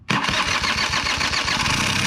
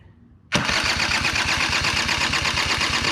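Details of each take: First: Small engine that sat since last fall, run on ethanol-free gas, after adding fuel: catches almost immediately and settles into a steady, crisp buzzing idle; healthy start once fuel reaches the carburettor. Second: Machine with 85 engine and no kickstart, on ethanol-free gas: fast even starter whirr with regular pulses never catching; cranks but won't start, owner suspects petcock not opening enough to let fuel flow.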